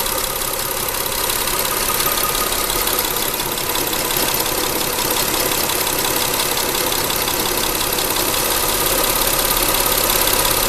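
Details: Mitsubishi Endeavor 6G75 3.8L SOHC V6, cold start: a fast, fairly even clatter near three per second over the idle that disappears after 5 to 10 seconds as the engine warms; a failing hydraulic timing belt tensioner, worse on very cold days.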